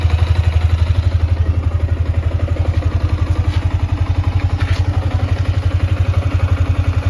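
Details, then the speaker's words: Yamaha Sniper 155 after 4 months of use, odometer 2,336 km, freshly cleaned and still smoking: even single-cylinder idle thump with a light mechanical tick, called normal; ticking quiets when the clutch is pulled. "Yan yung tunog niya mga boss, 4 months yan. Normal lang yan mga boss kapag may naglalagitik."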